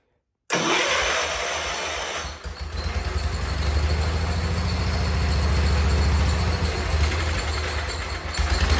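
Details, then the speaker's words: 47-year-old Wheel Horse tractor, single-cylinder, carb slightly tuned, choke fully off, no air filter yet, no smoke: engine catches and settles into a steady, even thump with no misses; runs healthy. "tried tuning that cars a little bit I think it was iding slightly better I was able to shut the choke all the way off in here and uh I think it sounds good it wouldn't smoking none"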